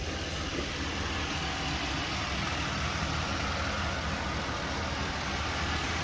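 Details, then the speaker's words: 2004 Buick Rendezvous, hood open at idle: even, steady idle with a smooth low rumble and no knocks, ticks or misses; fairly quiet motor that sounds good. Normal idle. "Seems to be a fairly quiet motor. And it sounds good."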